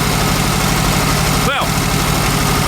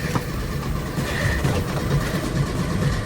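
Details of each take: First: VW Super Beetle Volksrod air-cooled flat-four, still cold, charging system working: after a little rev it is now running on all four cylinders, a steady even beat with no misses or stumbles; healthy idle. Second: VW Super Beetle Volksrod engine cranking but not starting: low, slow, uneven churning that never catches, because the ignition points were disconnected to avoid frying them with the ignition left on.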